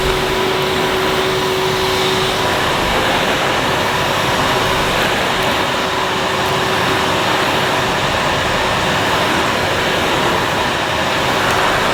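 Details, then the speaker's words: 2005 Numatic Edward Turbo vacuum with turbo electric head on carpet, vent closed: soft, steady, even hiss with a faint tone early on, no rattles or surges; very quiet, healthy running. "Yep, it's very, very quiet, the turbo electric head. In fact, you can hardly hear that it's on."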